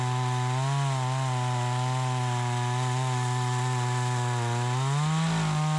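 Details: Troy-Bilt 20-inch chainsaw, bought new, after carburetor adjustment: strong steady high buzz holding firm in the cut, picking up cleanly near the end; runs like a new saw, owner thinks a bit more RPM possible; normal under cutting load.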